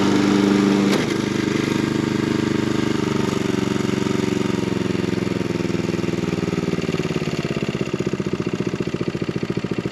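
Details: Garage-sale John Deere 14SB mower on a test run after cleanup, a new fuel line and a new 6205 blade brake clutch bearing. The small single-cylinder catches and settles into a steady, even putter with no knocks or scraping; healthy.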